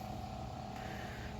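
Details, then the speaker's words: RV macerator pump emptying black water into an IBC tote: a steady motor hum with a faint mid whine and uneven low churning as it chews through solids. Normal operation. "but it gets the job done and uh you know that's what counts here chewing through some stuff there"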